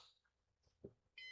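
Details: Used Synology DS418 NAS during first setup with RAID 6 volume creation on IronWolf drives: short bright electronic beep, steady high tone near the end, a repeating "heart monitor" warning alert.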